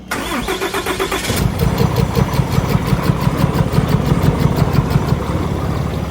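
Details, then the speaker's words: 2020 Ram 3500, 6.7 Cummins, 364k miles, cold start: fires and settles into a rough idle with a light, steady tick riding over the diesel clatter. A lazy hydraulic lifter. "I want to give you a first-hand experience what a lazy lifter sounds like in one of these."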